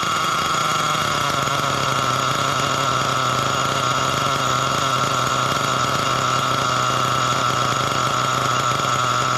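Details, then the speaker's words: Nitro RC truck engine with a mismatched carb, richened half a turn, smoking, idle gap just brought down: a high, steady buzzing idle with an even whine and no stumbling. Idle speed lowered. "Okay, we brought the idle down."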